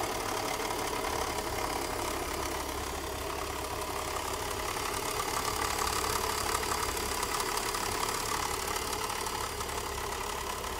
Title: Bmw M54 3.0 rattle sound "Broken disa valve"